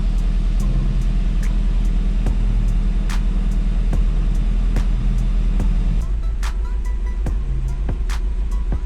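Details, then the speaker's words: Seat Leon FR 2.0 TFSI idle with a recurring stumble a few times a second over sharp ticking; misfire followed the injector moved from cylinder 2 to 3, which likely sticks when hot; new coil and plugs did not cure it. "3 czyli znaleźliśmy przyczynę przyczyną jest wtrysk to był na drugim został zmieniony na trzeci"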